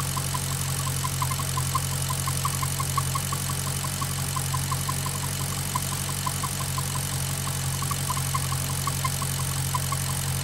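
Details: Maserati GranTurismo at warm idle, engine at operating temperature: light, sharp ticking at about 86 a minute over a steady idle. The noise is absent when cold or with the oil dipstick pulled. Source unknown.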